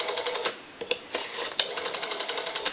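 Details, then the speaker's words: Stromberg Carlson 2-1553 rotary wall telephone after repair, final checks dialing numbers into an analyzer: light quick even ticking as the dial spins back without dragging, dial that came in locked up now much smoother. "the rotary is proper now and it is a lot smoother it didn't turn it all when it came in it was locked up"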